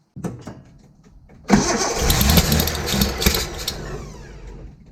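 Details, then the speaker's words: 1972 Datsun 240Z with SU carbs, sitting since 1995, fuel system primed, new fuel pump, starter, plugs, wires, cap and rotor: slow, uneven cranking, then a ragged burst of firing that dies within seconds; carbs due for rebuild. "so i think that's all we're going to get out of it let's go ahead and start rebuilding these carbs"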